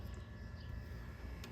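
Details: Rheem central AC outdoor unit after fixing only 5 V at the contactor (defective Honeywell T87F thermostat, R22 added): low steady hum and whoosh, no rattles or buzzing; condenser fan and compressor running normally.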